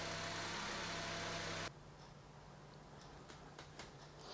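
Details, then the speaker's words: 2007 Honda FR-V 1.8 petrol, about 66,000 miles, started after changing all four spark plugs and refitting coils: smooth, even idle with no misses or uneven beats; runs nicely. "so I'm just going to fire it up make sure it ticks over okay that sounds smooth runs quite nice"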